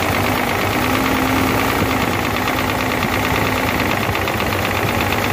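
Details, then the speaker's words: Hino J08C truck diesel after overheating, with water entering past the cylinder head gasket. Heavy, uneven, hard knocking and rough clatter with misfire and smoke. Pistons seized to rings in cylinders 1 and 2, causing diesel knock. "There is also smoke due to missing, that too is due to piston from behind. Piston and ring are seized with each other."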